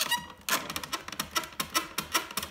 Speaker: a common problem is a squeaking obnoxious noisy piano bench which this one most definitely qualifies so very simple fix it's just a matter of tightening the screws